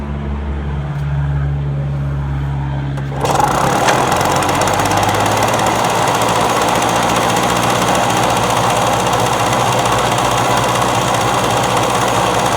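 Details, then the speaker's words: Victa two-stroke lawn mower that would not start when bought, first start attempt: it fires about three seconds in and settles into a steady, even buzz with no misses, starting and idling well. "Alright, let's start it up, see if it goes, see if it runs and idles well."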